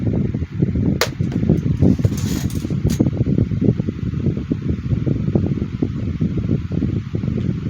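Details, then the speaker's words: 2010 Midea 12" FT30-8MB oscillating table fan, unpowered for a while, starting a little sluggish and coming up to speed like it's waking up; steady low whoosh of air, no rattles, ticks or rubbing; normal fan operation. "Okay, so it sounds like it's warming up, like it's starting to come up to speed, like it's waking up."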